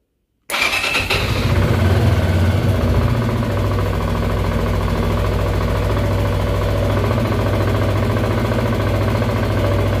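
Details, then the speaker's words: Zontes 125 motorcycle, cold start in winter with battery charger attached, on a test Bosch MSE 6.0 ECU before flashing: catches at once and settles to a steady even low idle without misses or knocks; ECU works. "Sterowniczek działa. Dam mu się troszeczkę rozgrzać, zobaczę jak pracuje na obrotach. Jak widać, motorek ładnie pracuje."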